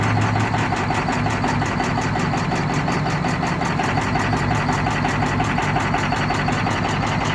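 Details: 2003 Ford F250 6.0 diesel idling with bad injectors: loud, uneven clatter and rough, lumpy rhythm.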